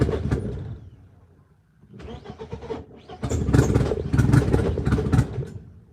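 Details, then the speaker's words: BMW E36 M42 on Microsquirt standalone ECU, repeated start attempts: irregular cranking and uneven catches with sharp backfire pops; owner suspects he gave it too much gas and it is running rich, not confirmed. "I gotta see about that backfire. Like that's an issue. That is like a real issue. Maybe I'm giving it too much gas."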